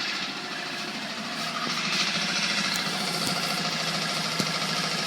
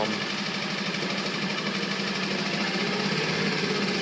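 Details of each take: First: Coleman 5hp outboard, made April 2012, revved to about 2000 rpm: steady buzz with a loose, tinny rattle about three times a second, like a loose exhaust pipe; nothing visibly loose, source unknown. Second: Coleman 5hp outboard made April 2012, bought used, idle speed adjusted and choke/throttle cable clip removed; steady even low buzz with smooth high rasp, no knocks or stumbles: good idle at lowest throttle setting.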